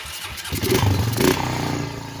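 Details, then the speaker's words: 2006 Honda Rancher ATV after cleaning a clogged carburetor (previously ran only on choke): engine catches after a few cranks and settles into a smooth, even idle with the choke off, no misses or rattles; normal start. "choke's off. We're idling with the choke off."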